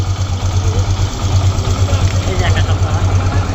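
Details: Hero motorcycle: even, steady single-cylinder idle with a smooth pulse and no rattle or jangle, after the earlier rattling noise was fixed; engine sounds healthy.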